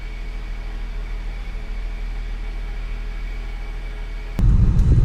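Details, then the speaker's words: BMW E46 after replacing the power steering pump, suction and return hoses and reservoir, steering wheel turned lock to lock: steady low engine hum with a faint even pump whine, no groan or squeal; pump engaging with fluid circulating, healthy. "all right I can actually hear the pump engaging and I want what I'm going to do right now is go and check for circulation which is slight movement into fluid inside the reservoir"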